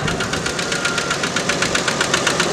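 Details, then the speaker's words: Red truck running, owner preparing to shut it off and possibly tow it for repair; sharp regular ticking about seven per second over steady running — engine knock, cause not found; owner wants the engine fixed. "is the reason why i got to get this car fixed"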